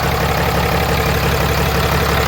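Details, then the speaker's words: Diesel truck after major repairs done by the owner, checked for leaks: deep even idle with smooth steady beat, no knocks, whistles or boost hiss; running well. "running well. So truck sounds good. I am proud of myself."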